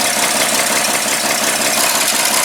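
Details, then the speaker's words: 1936 Chevy pickup at idle, engine warm at about 180°, after carb float fix, clutch pedal pressed: a steady, harsh rattling whir and vibration from the throwout bearing against the pressure plate; owner fears a missing part. "but one issue is this throw-off bearing i'm gonna have you listen to it when i go to push the clutch in and you can see it down in there"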